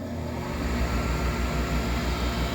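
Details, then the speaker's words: Furnace not heating, inducer motor running with manometer attached: steady low hum with even gentle pulse, no rattle or scraping; pulls -2.65 inches water column vs -1.74 needed, so inducer is strong enough; pressure switch to be replaced, sensor to be cleaned. "and guys look at this 1.74 that's what I need and I'm at- 2.65 so this inducer is definitely strong enough"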